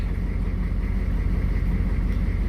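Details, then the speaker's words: Short bus engine idling smoothly, "just a purr," on a hot day after a second new fuel pump replaced last month's pump suspected faulty (vapor lock also suggested); low steady rumble, no knocking or surging: normal idle. "so if you can do this my engine is just a purr in along just a pearl"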